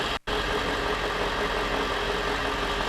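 Steady, even engine idle with a smooth hum and no knocks or misses; this truck engine sounds healthy at operating temperature.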